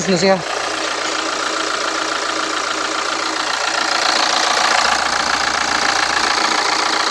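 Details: Hyundai Santa Fe after replacing the drive belt and idler: steady, even idle hiss with no squeal, chirp or rattle from the belt side, normal idle. The earlier noise was outside the engine, not internal.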